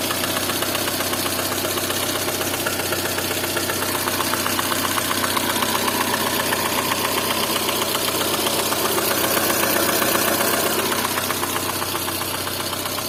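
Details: Lada Kalina at idle: a sharp, regular metallic ticking, about four per second, over the idle; a clear engine knock of unknown cause.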